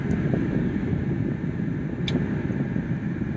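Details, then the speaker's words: 2010 Kia Soul test drive on a farm road up to about 60 mph after passenger-side CV axle replacement: steady road and wind rumble with no clicking from the front axle; earlier noise gone, normal CV axle. "As far as it goes, that sound I was hearing before, I don't hear it. So looks like that might have been the right side, you know, that I got, which is the passenger side CV joint."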